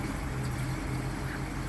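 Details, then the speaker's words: 1929 Cord L29 Cabriolet straight-eight, just out of seven months of storage, idling outdoors; quiet, even low hum with a steady pulse and no knocks or misses, idling smoothly. "Okay, it is out in the daylight for the first time in many months, and it purrs like a kitten."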